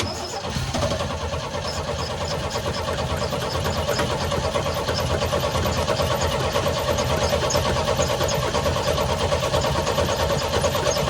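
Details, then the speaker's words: 1972 Chevy C10 revival, long unrun, cranking to fill carburetor bowl: starter spins engine at even churning beat about ninety a minute but never fires; fuel not getting through, blocked carburetor. "Doesn't seem to want to run on fuel, does it? Let's see. I can't tell if it's squirting. It's probably not."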